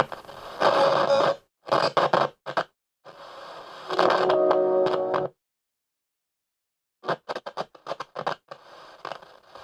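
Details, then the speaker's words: Radio being tuned, output cutting in and out with scratchy crackles and bursts of music; TDA5700 tuner section with poorly sealed switch bank. "scratchy we got scratchy um tuning"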